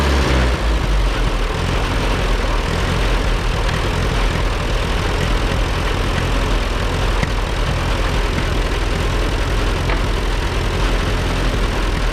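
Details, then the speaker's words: Allis Chalmers WD narrow-front row-crop tractor, seized that morning and freed up, first run after rescue from the bush: deep, heavy idle thump with slightly uneven beat; runs but needs tuning, tune-up planned. "Another $600 tractor, away we go. Obviously we got to work out some bugs, but it runs."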